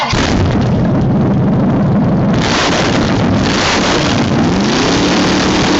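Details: Chevrolet 305 cu in V8 on open exhaust pipes, starting indoors: very loud raw rumble with sharp exhaust cracks settling into a steady beat with no knocks or misses; running healthy.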